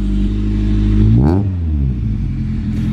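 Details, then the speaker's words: 21-year-old Honda EJ9 first start after fitting a 4-2-1 exhaust manifold; clean blip of revs falling back to a steady idle, no rattles or leaks, fairly quiet: normal exhaust note. "well I thought it'd be louder but that sounds nice"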